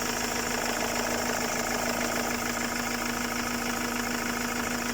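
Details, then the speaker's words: Ford 2.0/2.2/2.4 TDCi diesel idling after EGR clean, listening at intercooler pipes through a hose for turbo or vacuum leaks: steady even idle pulse, no hiss or wheeze; no leak heard. "I mean, I can't hear anything on idle, so that's basically what we're going to do."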